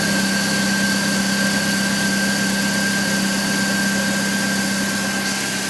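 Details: 1999 BMW E46 316i, M43 engine, cold morning start: steady idle with thin metallic ringing and constant high tone lasting 2-3 minutes then disappearing; source unknown.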